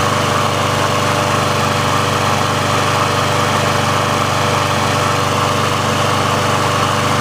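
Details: Briggs & Stratton engine on a Sears Craftsman mower after service/repair, warmed up and run about three minutes: small single-cylinder engine holds a steady, even putter with no surging or misses. The auto choke opens properly when warm, so running is normal.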